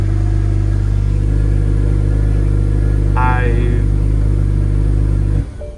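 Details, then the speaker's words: BMW N54 engine with the MSD81 DME upgrade, after replacing the DME to cure random cylinder 3 and 4 misfires when plugs and coils hadn't fixed it: steady, even idle with a smooth regular pulse, no stumble: normal idle. "But, I no longer have the misfire. And you can see car runs beautifully."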